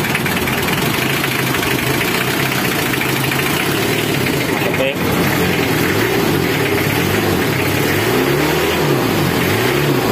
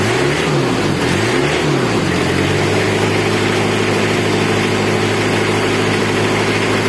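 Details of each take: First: Car idling with a damaged fuel injector not yet replaced, white exhaust smoke: continuous idle with an uneven, lumpy pulse instead of a smooth purr; rough idle from faulty injector. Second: Diesel engine idling with an even low rumble and a constant clatter, no grinding or whirring from the front. Runs normally after the noisy fan and timing bearing was repaired. Owner reports radiator water keeps dropping with no leak found, and a faulty injector causes white smoke.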